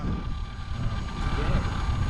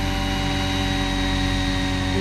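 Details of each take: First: Roban Bell 407 RC helicopter after a re-gear, in flight; steady high motor whine over a low rotor whoosh with no grinding or gear chatter, much quieter than before; normal gear mesh. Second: Roban Bell 407 RC helicopter after a re-gear, hovering: a steady whir with a brief squeal rising in pitch near the end. This is gear lash, with roughly 3–5 mm or more of play between the tail and main gears.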